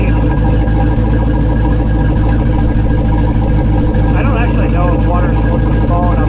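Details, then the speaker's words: Volvo Penta engine in a 22 ft Larson Cabrio boat, first start after new water pump, impeller, belts, fuel and oil filters, and temperature and oil pressure alarm sensors, cover on, water running: steady, even low idle, no knocks or misses; sounds good. "moment of truth i'm gonna fire her up got the cover on got water running see what she does sounds good"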